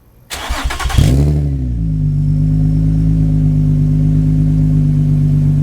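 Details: Rebuilt salvage 2006 Nissan 350Z convertible with new exhaust: quick crank, strong catch with a revving flare, then a deep, smooth, steady idle with a low exhaust rumble; healthy engine.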